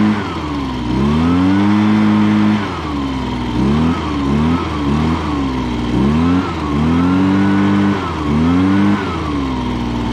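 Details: 2016 Echo PB-265 blower with a 25.4cc two-stroke engine, started for the 2020 season: quick rev blips rise and drop back crisply and evenly. Normal running.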